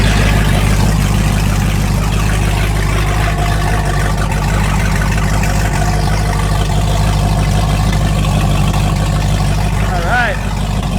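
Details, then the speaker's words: 1995 Fountain 24CS boat, Mercruiser 502 EFI V8 on a hose, idling to warm water and oil temps for an oil change with solid oil pressure: deep, steady burble at an even idle, no misses or knocks. A normal idle. "Well, just warming up the oil. So we can do an oil change. We're just kind of waiting for the water temp and the oil temps to come up a little bit."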